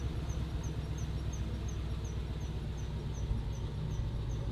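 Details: Ford Mustang Boss 302 salvage rebuild during frame straightening: faint high chirp about three times a second over steady low idle, suspected rear wheel squeak, cause unconfirmed.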